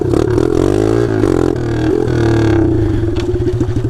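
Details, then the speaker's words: Taotao DB17 125 pit bike after the exhaust fell off: a loud, raw, sharp bark that rises and falls with throttle and pops on deceleration; much louder. "oh there goes my exhaust all right oh my goodness dude it's so much louder"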